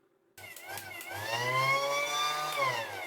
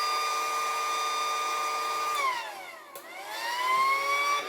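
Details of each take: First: Battery-powered pump with a sealed motor unit working intermittently: motor spins up into a high, wavering whine with a slightly rough edge; owner concludes the motor is sticking, not the connection. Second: Battery-powered pool air pump after spraying an intermittent connection fault: motor whine holds steady, dips briefly, then climbs back and settles into an even hum, now starting every time and running normally.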